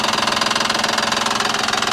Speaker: señores que estará pasando Ah será el tensor de la faja de tiempo o será que no le está llegando presión de aceite a una de las culatas otra vez ahora la de atrás